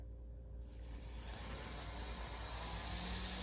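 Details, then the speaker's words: Union Pacific 762 GP35 N scale locomotive, possibly Kato or Atlas, on a running test: soft, steady whir building as it moves, no grinding or clicking; runs quiet and normal. "is it going to be a runner though oh my yes isn't how quiet that"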